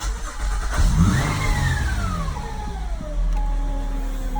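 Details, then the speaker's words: 2012 Acura MDX V6, timing belt, serpentine belt, transmission and transfer case fluids done within 7,000 miles, no power steering leaks or bubbles: thin whine rising and falling with revs, seemingly from behind the engine; source unknown. "you can see you can hear it change up and down with rpms"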